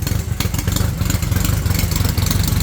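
Low, quick thumping idle that holds fairly even, with light mechanical clatter on top; the four is running steadily on its own.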